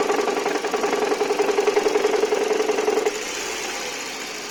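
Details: Toyota 1AZ-FSE engine: sharp regular knocking about three and a half per second over idle, sounding like cylinder one. Teardown found a cracked flywheel; afterwards the knock was gone at the same rpm.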